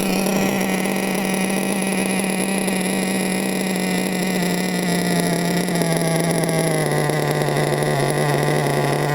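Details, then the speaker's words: Nitro RC car engine after turning the carburetor needle to tune slightly rich: high-pitched buzz holding a steady tone that eases down slightly, running clean without sputtering, much better; low end later went lean, blockage suspected. "Sounds a lot better. Look at that. That's a lot better than it was."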